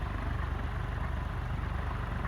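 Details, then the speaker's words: Antique foreign Sun Light ceiling fan, shaded pole motor, on high speed around 485–500 RPM drawing 2.1 A: steady low hum with even pulsing drone, bearing barely audible; normal, very powerful running. "so this is high speed um 500 RPMs is probably right for this thing this thing is insanely powerful"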